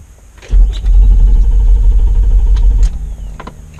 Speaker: podemos ver que el motor del auto no arranca